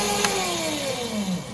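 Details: Venom E-Racer 1000W kids electric ATV, newly replaced motor tested with rear end lifted: clean electric whine falling smoothly in pitch as wheels coast down, no grinding or clicking; new motor sounds healthy.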